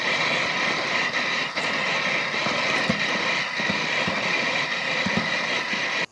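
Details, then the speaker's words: Robotic lawn mower driving and mowing over grass: steady high rushing whir with faint uneven ticks; the wheel rolling noise is loud while it moves. "Alors, la seule chose vraiment qui m'embête moi sur ce robot, c'est le bruit de roulement hein."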